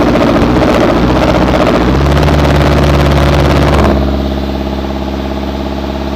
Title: Hino Trucks Engine Sound Problem Part 2 #shortvideo #ahammadmechanic #hinotrucks #hinoengine